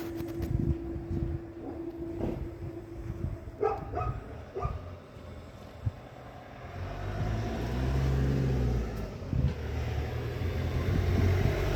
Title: Skoda karoq fabia octavia golf 1.5tsi idles poorly rpm repair cylinder misfire pcv valve replace